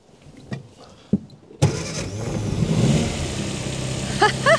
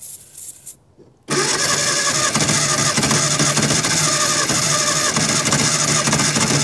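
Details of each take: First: Barn-find 1954 Austin A30, later restart after first run in 52 years: a couple of quiet clicks, one short crank, and it catches instantly and settles into a steady idle; starts on the button. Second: Barn-find 1954 Austin A30, laid up since 1971, first start attempt after earlier failure from no compression: long steady cranking whirr with a few uneven catches that fire a couple of times but never pick up into a run.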